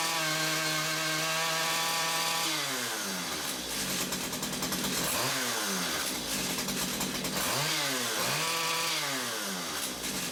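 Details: Stihl two-stroke engine on combi unit, after clearing a blocked exhaust of muck and refitting it: steady idle buzz, then repeated clean rises to a high scream and back, quick and free; now revs properly.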